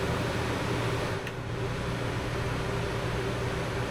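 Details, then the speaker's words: Puma camper's 13,500 BTU Coleman Mach rooftop AC on low cooling, heard from inside near the bed: steady loud fan rush with a low even compressor hum, no rattles or cycling; runs normally but noisy. "AC on low. AC on high, I believe. Yes. So it's a little bit noisy in here."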